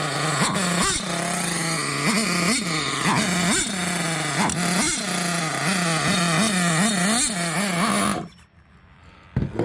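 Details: Hobao Hyper 7 RC nitro car, JL .28 engine, with HPI carburetor replacing faulty carb; high buzzing engine revs up and drops back cleanly in quick blips, dog barking nearby; normal running.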